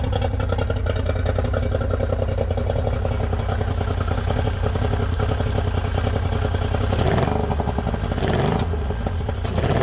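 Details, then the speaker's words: Yamaha 90 hp two-stroke outboard, unrun for a couple of months, starts but number 2 (middle) cylinder won't fire, cause not yet found; fast, choppy, lumpy popping idle running on two of three cylinders: cylinder misfire. "She starts right up, but will not run on all 3 cylinders. Number 2 will not fire."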